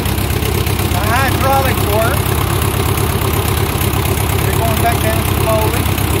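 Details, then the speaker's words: 1957 Ford 660 tractor idling after first start in 13 to 15 years, started with choke: loud, raw, somewhat uneven low chuffing with no muffling; owner says it needs a muffler. "not bad for 13 to 15 years. Sounds like it needs a muffler which is okay,"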